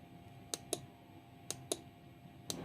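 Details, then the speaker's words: 12V relay in an Arduino appliance-control demo, coil energized and released: crisp click pairs about once a second as the contact moves from normally closed to normally open and springs back. Normal relay switching. "ये देखें, ये है relay work कर रही है। Normally close से normally open की तरफ जाके ये जुड़ रही है।"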